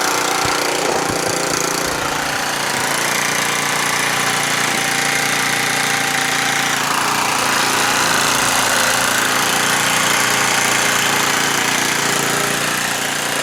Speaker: doesn't look like it works fellas I ain't getting no power out of here